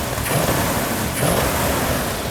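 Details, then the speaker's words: Restored, previously totaled Plymouth muscle car with a big cam, idle set and fluids topped off: two quick throttle blips on a lumpy V8 rise and fall cleanly. It pulls strong and sounds healthy. ">> How's it sound? >> Oh, perfect. >> Absolutely beautiful. That is the cam I want to put in all our engines."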